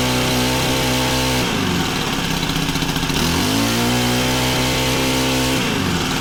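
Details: Honda FG110 tiller with GX25 engine, new carb being tuned, idle set high to warm up: small single holds a fast, even idle, pitch stepping smoothly with throttle, no misses or surging; running normally.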